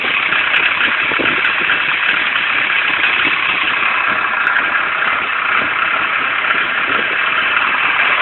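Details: Nissan 240SX Silvia coupe KA24DE engine: uneven, stumbling idle with irregular surges instead of a smooth steady note; rough idle.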